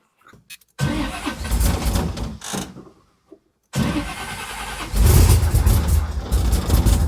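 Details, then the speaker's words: 1979 Camaro big block Chevy with Powermaster starter, after cleaning burnt solenoid contacts: short starter cranking bursts, pause, cranks again, catches and revs to strong steady run; normal cranking and starting. "Come on, girl. Yeah! Woo! God, I love that sound. Yes! Ha ha! I absolutely love that sound."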